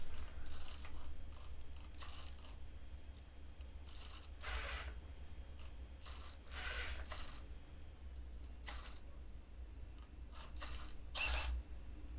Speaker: the the side-to-side servo is a little bit squeaky. I think you could hear it on the microphone.